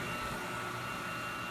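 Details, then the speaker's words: Phoenix PC40PLV 40 HP phase converter running a 37-inch wide belt sander (18 HP, 230 V, 50 A, three 3-phase motors: table, main drive, conveyor). A smooth, even hum and whine with no knocks. Normal running. "pretty much pretty smooth after that"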